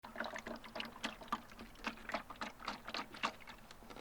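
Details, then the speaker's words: Water sloshing and trickling inside the tail light housing of a new MK7 GTI as the lamp is moved, several splashes a second; water has got in where it shouldn't. "So that sounds like water. So let's let's see what happens here."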